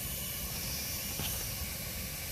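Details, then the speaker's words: Bryan condensing steam tractor during startup, before the main fuel valve is opened: even, steady roaring hiss with no sputter or pulsing; the burner fires cleanly on clear fuel. "So we still hear that burner going good. Our fuel's pretty clear."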